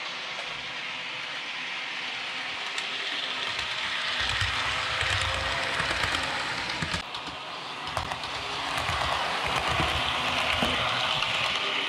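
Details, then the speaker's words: Realtrack Class 156 model loco (RT156-312) after axle repair, on the layout at slow and fast speeds: light even whirring of motor and wheels rising and falling with speed, no squeal; fixed. "I'm gonna let this run for a couple of minutes, and then we'll show it to you again, just going real slow and real fast on this section of the layout, so you can see that it really is fixed after letting it run for about 5 or 10 minutes."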